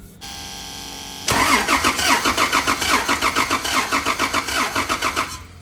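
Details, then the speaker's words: Toyota Land Cruiser with a cylinder 3 misfire, compression test on cylinder 2: starter cranks with an even, steady chug about three and a half beats a second, reading 150 psi; cylinder 3 showed no compression; normal cranking compression. "selling their number two is good we got 150 psi"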